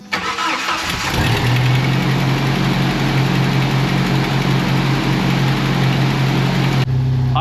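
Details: Jeep 2.5L after replacing distributor (with cam position sensor), coil, wires and plugs: quick crank, catches cleanly within a second, settles into a steady even idle with no misses or popping; normal cold start and idle.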